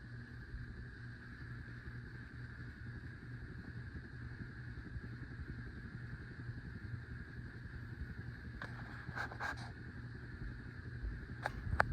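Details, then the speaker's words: 52-inch Hunter Pro's Best ceiling fan on high, giving only two of its three speeds: a steady low electrical buzz under a quiet whir, with a slight wobble, from a bad capacitor that needs replacing. "It's not a dimmer switch, but the reason why it's buzzing is because it's on a bad capacitor."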